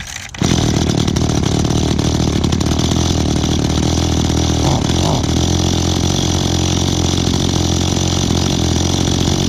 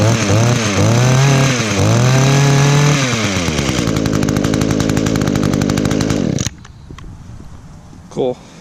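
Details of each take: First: Echo small two-stroke outdoor power equipment being started for the season catches and holds a loud, buzzy high drone that wavers slightly; the carburetor seems to need adjusting (suspected, not confirmed). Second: 2010 Echo HC 150 hedge trimmer, carburetor had previously failed, probably unused since late spring, started on choke with primes: revs up and down in sharp rising buzzes, then holds a steady high-pitched run before shutting off; normal running.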